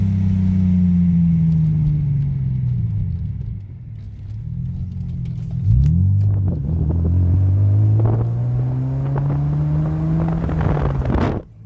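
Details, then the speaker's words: 2006 Hyundai Tiburon 2.7 V6 five-speed, misfiring after engine wash; water in the spark plug wells, reassembled. Road test after fix: steady note pulling cleanly through gears, no stumble or shudder under load; smooth, no misfire. "so basically water in the plugs what a easy fix"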